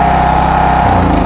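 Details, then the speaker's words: EGI3000M open-frame inverter generator, 240 V 50 Hz, running after choke pushed in: smooth, steady buzzing drone easing slightly in pitch, low vibration but loud (owner estimates 140–145 dB), no knocks or surging; normal running. "Dia punya enjin boleh dikatakan steady, kurang gegaran, cuma dia punya bunyi agak tinggi, lebih kurang dalam 140 ke 145 apa orang cakap dB lah."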